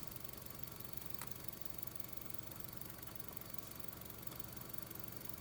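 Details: 2005 Honda Civic 1.7L at idle after the tapping purge valve was disconnected: an even, steady idle hum with no tapping ticks on top. The engine sounds normal once the purge valve is out of circuit.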